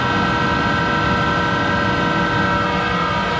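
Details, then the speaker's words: Monarch 10EE precision lathe with original drive, owned about 30 years and showing extreme wear. Motor-generator started: loud steady hum with a constant whine and rough rumble; its bearings are worn and very loud, need replacing. "that started the motor generator, and you can hear those bearings are very loud."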